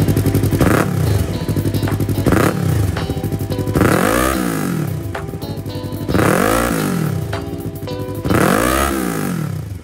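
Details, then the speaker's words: Yamaha R3 after backfire fix (hose put back in place and locked, fixed with a marble): clean rising and falling revs, several blips, no pops or bangs on overrun, music over it; backfire gone. "So ayan, problem solve tayo guys. So nakaligtas na naman tayo sa gastos. Jolen lang pala ang katapat."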